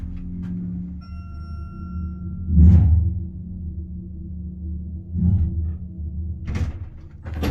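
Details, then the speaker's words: Westinghouse/Schindler hydraulic elevator serving floors LL–4: loud, steady, low pump-motor hum under the ride with thumps at start and stop; noisy pump, car said to be low on oil. "Just I don't want to hear that motor again."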